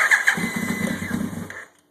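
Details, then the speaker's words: 2000 Yamaha YZF-R1 first start after engine rebuild, choke on, battery a little weak: brief sluggish cranking that never catches. Carbs were flooding, with cylinders 2 and 3 full of fuel; float levels or needle valves suspected. "pretty sure the reason it wasn't starting was it was flooding like crazy I'm thinking something something's up with the float levels or possibly the needle valves that control the fuel flow into the float bowl"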